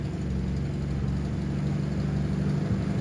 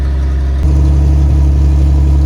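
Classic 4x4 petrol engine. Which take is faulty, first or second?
second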